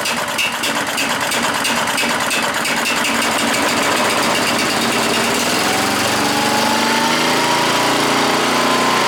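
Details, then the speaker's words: Auction chipper/shredder's small single-cylinder engine catches quickly and settles into a steady, even run; the speed never changes, as the throttle doesn't seem to respond. "The throttle doesn't seem to work, so let's start it up again and we'll see if we can get the throttle to work."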